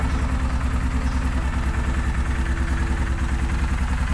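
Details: Yamaha Kodiak 450 ATV after a carb clean, starter solenoid and starter replacement, running on fresh gas: a steady, even low thump at idle, about three beats a second, with no misses or knocks. Normal idle after the no-start repair.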